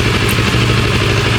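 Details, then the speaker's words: CF Moto twin idling after its recurring cowl/bodywork vibration noise was fixed, proper CF Moto rack (10 mm plate) fitted in place of the flat rack and box: steady, even low burble, slight visible vibration but no rattle or noise. "Yep. Yep, no noise, no vibration. You can see that actually vibrating too. You can see this, but no noise."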